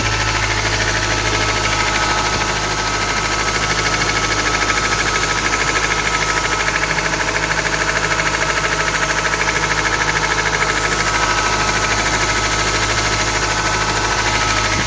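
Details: Ford Transit 2.4 diesel (PHFA) on acceleration: a steady, even knock at about 2.5 per second over the diesel clatter; cause unknown.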